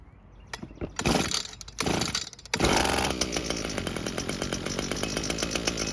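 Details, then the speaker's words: Echo two-stroke string trimmer, found abandoned and not starting, running on a replacement carb after system purge and choke: rough pulls and sputters, then catches to a steady even buzz; runs normally, works great. "And as you can tell, it works great. I just wish we were able to use the original carb instead of this other one."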